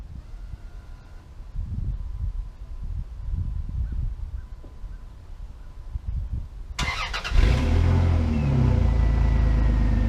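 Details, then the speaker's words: Dodge Dakota with exhaust running all the way to the back, sounding a little different, recorded outdoors in wind: wind rumble, then engine catches and settles into a deep, even exhaust note; normal idle and revving, no misfire. "I guess I can let you guys hear it. It doesn't sound too bad. It's not, you know, the best sound in the world. The exhaust goes all the way to the back, but it does sound a little different."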